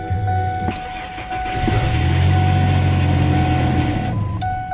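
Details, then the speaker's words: 2003 Ford F-150 after fixing a no-start: two misplaced wires corrected. A brief quick starter whir, then it catches and settles into a steady, even idle. Normal crank and start, fix confirmed. "there you go now it starts the vehicle starts we have confirmed the fix"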